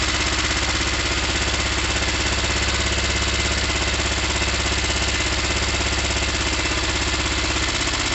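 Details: Motorcycle on choke, after cleaning both quite-black plugs fouled with fuel and oil: fast ragged chugging, about three pulses a second, no clean idle; still running rough.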